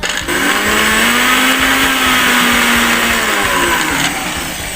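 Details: Sharp fruit and ice blender that would not start, running after its reset button on the bottom was pressed; a steady high whir with a faint rising hum and no stalling or grinding, so the motor spins up normally.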